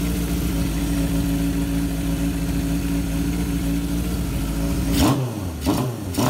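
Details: 1978 Kawasaki KZ650 C, revived after at least 5 years unrun, during carb vacuum balancing: steady fast idle holding an even tone, then quick throttle blips rising and settling cleanly; normal idle, carbs balanced within about a quarter inch.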